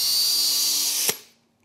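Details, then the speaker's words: Hercules HC92K1 20V hammer drill on a depleted battery, drilling with a 5/32 inch bit: high steady motor whine under load, then spins down and stops; normal drilling. "bad this is a 5/32 inch drill bit not bad"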